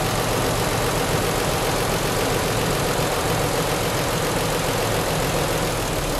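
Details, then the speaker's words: 1993 Nissan 300ZX convertible V6 idling unevenly and lumpy with one coil pack unplugged during a misfire hunt; it loses power and feels like five cylinders, and cylinder 4 was traced to a bad injector. "Okay, it sounds good and everything, but it's losing power. It's working on a high cylinder just."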